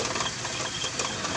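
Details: 1994 Toyota Kijang with heavy starter cranking, valve clearance found poor: fast light ticking clatter over rough, shaking running; valve lash needs adjustment.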